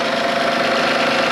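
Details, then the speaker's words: 2008 Honda Odyssey idling cold after replacing the alternator, VVT gasket and valve cover gasket, checked for leaks. A steady, even idle with some whine from the empty power steering reservoir; otherwise healthy, with more to learn once it is hot. "this run for a little bit but it looks good uh we'll know more when the engine gets hot"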